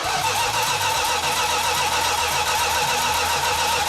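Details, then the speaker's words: 1969½ Dodge Super Bee 440 Six Pack after about 40 years idle: steady cranking at about four beats a second, no start despite spark. A fuel leak came from mismatched fuel lines to the remote tank and apparently loose carburettor fittings. "So when we initially tried to start cranking the engine over, we had a nice fuel leak."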